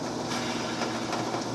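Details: Samsung dryer drum bearing assembly spun by hand: gritty, rasping rush with fine uneven ticking; bad dry bearing, which had also damaged the felt belt, replaced and greased.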